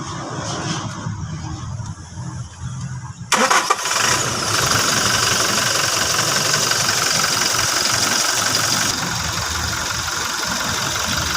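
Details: Toyota Fortuner diesel after replacing bearings to cure a loud noise at the front of the engine: cranks, catches quickly and settles into a steady even idle with no rattle or whine; noise gone.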